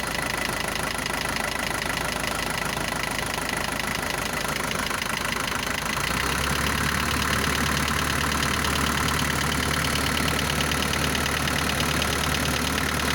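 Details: Isuzu NPR diesel started after sitting 11 years on very bad fuel, at high idle cold: light regular tap about three per second over loud clatter, like valve adjustment; goes away when warm. New pistons, sleeves, valves, adjustment checked.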